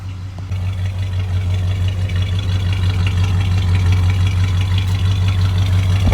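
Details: Truck idling right after installing a replacement carburetor, rebuilt in August 2019 and shelved over a year: deep, even low rumble with a steady beat near three per second, no misses or stumbles; clean, healthy idle.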